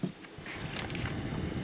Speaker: you can hear the heater fan coming on